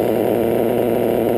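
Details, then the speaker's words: RCR-modded LRP .32 nitro engine with a 2120 pipe and 41032 header, at about three-quarter throttle: a high, steady, slightly muffled buzz without a crisp bark; it is running rich and idling high, not dialed in. "i'm running the 2120 um she's running real fat right now too"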